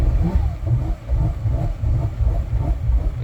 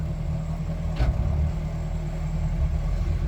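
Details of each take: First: Boston Whaler 330 twin Mercury outboards, port engine at startup with throttle body code: low rumble surging up and down about three swells a second, never settling; throttle body stuck, later found a stuck intake breather gasket. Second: Mercury outboard on a Boston Whaler, one of twin engines: steady idle, then one firm clunk shifting into forward while the engine keeps running evenly. Normal gear shift.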